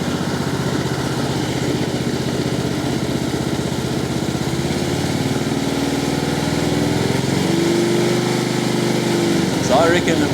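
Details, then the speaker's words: Husqvarna LT1538/LT1597 lawn tractor with a replacement engine and rebuilt muffler, idling with the hood off: steady, even chug with a slight rise in revs near the end, no knocks or misses; engine sounds healthy. "of course we don't have the the hood on and pretty happy with the way it's sounding so far"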